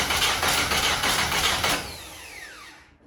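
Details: VW Golf 1: even starter churn at about four beats a second that never catches, then spins down to silence; cranks but won't fire, and it is unclear whether fuel is reaching the engine.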